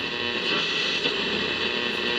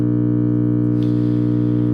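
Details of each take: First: 1951 General Electric model 404 six-tube radio after replacing two filter capacitors: clear station audio over light hiss and faint hum. It receives properly using only a small lab antenna, no external antenna. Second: 1951 General Electric model 404 valve (tube) radio, first power-up after sitting on a shelf, with all tubes lit and no program audio. A loud, steady low buzzing hum builds until the whole case vibrates.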